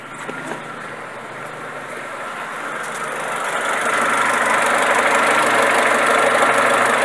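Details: Renault Megane Classic (same fault on Clio, Nissan Platina, Tiida) at idle; hum slowly climbs then holds with light even pulse; vacuum tested fine at 16–18, low unsettled idle from dirty carboned idle air control valve.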